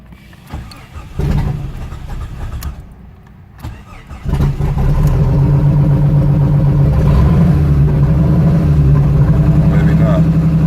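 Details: 92/93 Jeep Cherokee with no engine codes, MAP just replaced and tested and throttle body swapped: engine catches hesitantly then lumpy, uneven idle pulsing three to four times a second; throttle kills engine; rough idle, runs longer than before.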